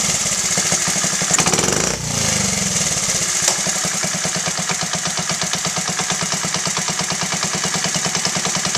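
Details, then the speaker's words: Honda Z50A single after carb clean and rebuild, pilot screw set to 1.75 turns out after trying 1.5 and 2: quick, even putter settling into a steady idle, sounding better; normal idle. "That actually sounds better. 1.75 is where I'm going to leave it for now."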